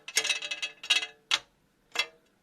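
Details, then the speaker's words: Front wheel, wheel removed: bright tinny metallic rattling like a bucket of bolts, heard over potholes; causes found were brake pads missing an anti-rattle clip and a loose brake dust shield. "а еще одно это вот эта защита"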